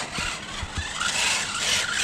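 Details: RC truck with 4000 kV HDI motor on a 2S battery, full throttle, battery possibly running low: thin high squeal and chatter with a few low thumps; no cogging or stalling, noisy driveline suspected, owner may inspect diffs.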